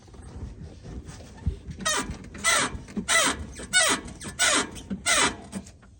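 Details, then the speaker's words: 2007 Ford F-150 with 200,000 miles, front suspension: loud creaky squeak repeating about every two-thirds of a second, confirmed by stethoscope on the ball joint socket as a worn lower ball joint on that side; control arm to be replaced. "I get underneath there and stick a stethoscope on the ball joint socket and and the structure there. You can hear the vibration in that squeak noise. So, that's how I know that it's a ball joint on this side."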